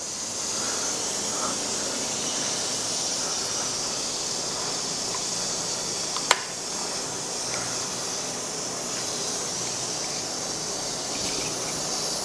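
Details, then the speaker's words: Pressure cooker on the smallest flame with steam escaping from small holes: soft, steady venting hiss, no spitting or surging. Still hissing means it's working properly; normal pressure cooker hiss at low flame. "Mungkin banyak orang bilang pakai api sedang lalu saya bilang pakai adik kecil aja asalkan dia masih mendesis maka artinya presto masih bekerja dengan baik"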